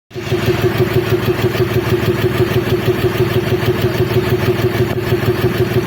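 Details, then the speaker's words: BS6 vehicle with very low fuel mileage and no fault codes, at idle: steady idle with an even pulsing knock about three per second; abnormal engine noise, cause unclear. "तो friends, आपने देखा इस गाड़ी में कैसा आवाज़ आ रहा है। तो ये आवाज़ से ड्राइवर का कोई लेना देना नहीं, ये बता रहा है जो गाड़ी में एवरेज बहुत कम दे रहा है।"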